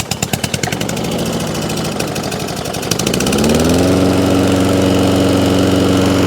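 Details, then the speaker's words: Toro Recycler lawn mower after new oil and blade work, started on choke: a few pulls, then it catches and settles into a steady, even drone with no misses or knocks, running clean. "So starts, good drive, yeah."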